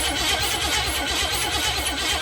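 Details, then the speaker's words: 1985 Jeep CJ7, AMC 304 V8 with electric fuel pump fitted by previous owner, cranks but won't start: fast steady cranking with starter whir, never fires; spark later confirmed at number one plug, cause not confirmed. "crank, but it will not start."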